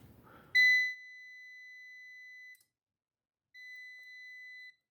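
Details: UPS (24V system) on the bench during transformer drive testing with a meter. Two steady high-pitched beeps, about two seconds then one second, with silence between, are the UPS sounding its fault alarm.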